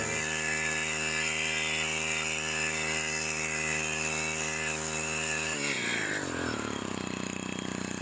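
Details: STIHL FC 90 edger two-stroke after full service and carburetor low- and high-speed adjustment: crisp, steady high-pitched scream held at full revs, then drops off cleanly; earlier vibration gone, running healthy.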